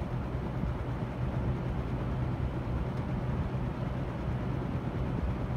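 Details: Mid-1970s EXL 7-bladed box fan, cleaned, motor oiled, faulty switch replaced, on medium speed: even, low airy rumble with no ticking, rubbing or wobble, holding steady; fan motor healthy.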